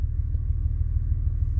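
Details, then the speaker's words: 2000 Honda Accord at idle with flashing check engine light, stalled on first start, codes show misfires on almost every cylinder: deep lumpy uneven idle rumble; rough misfiring idle from a failed ignition coil. "But as you can see, the check engine light is flashing. When we check codes here, it says almost every single cylinder has had a misfire at some point."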